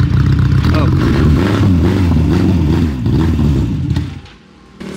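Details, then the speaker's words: Motorcycle-engined racecar being driven while drifting: a high-revving engine surges unevenly, the note collapses and nearly dies, then catches again, as it runs out of fuel. "it's out of fuel"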